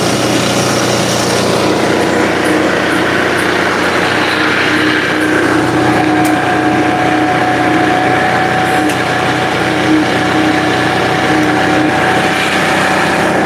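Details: Finished scooter's light engine idling after startup, with the owner noting it might be low on gas. A steady, slightly buzzy idle with no misses or hunting, running properly.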